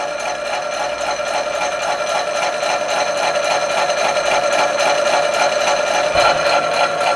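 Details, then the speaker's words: 1970s Kennedy Model 60 power hacksaw cutting half-inch brass round bar clamped in vise; loud, steady rhythmic rasp about three and a half strokes per second, cutting cleanly and normally. "that's quite loud as you can hear but c-suite going through the brass quite nicely"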